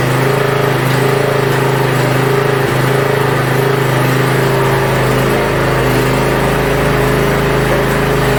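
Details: Yard Machines (MTD) budget 42-inch riding mower after new starter install and safety switches reconnected: steady single-cylinder drone at constant speed, no misses, rattles or surging; functions checked, everything working properly.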